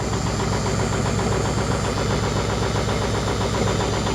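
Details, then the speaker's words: Rare semi truck with mechanical injectors, just revived after priming, with 70 lb oil pressure: rough, uneven, loping idle with a stumble about four times a second and heavy smoke; misfire, expected to clear as the injectors work. "All the smoke. Yeah, all the smoke. Got a hell of a miss."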